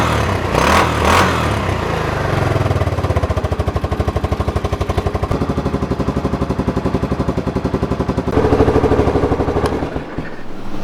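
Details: Kawasaki 300 ATV, abandoned beater, just reassembled after a hole repair: single cylinder settles into an even steady thump of about four beats a second with a small blip. Normal running.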